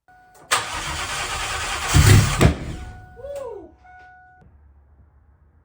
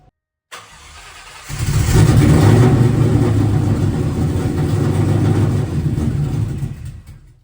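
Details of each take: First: Ford Cobra V8: two seconds of churning starter that never catches, then only a chime; engine spins but no spark because the ignition coil has no power, battery about 12.1 volts. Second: Cobra V8 first start in about two years, no exhaust fitted: cranking, then it catches into a loud, deep open-pipe rumble held steady for several seconds before shutdown; runs fine, oil change planned.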